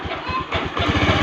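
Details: Honda Beat FI scooter, rough slow idle: low uneven loping putt-putt around thirteen beats a second; idle air too low, remedy is adjusting the idle setting with a screwdriver, no engine teardown needed.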